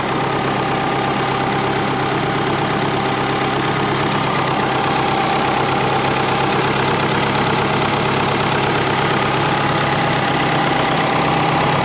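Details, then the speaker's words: Twin-turbo Subaru Forester (GT35 and TD05), warm start at 86°C coolant: loud idle with a slightly uneven, lumpy beat and a faint hiss; rough idle, owner suspects a vacuum leak. "idle wasn't very good at starting up just then maybe that's a warm startup we're at 86 degrees celsius i think we might have a vacuum leak"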